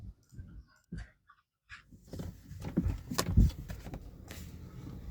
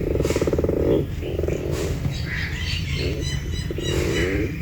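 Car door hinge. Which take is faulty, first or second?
second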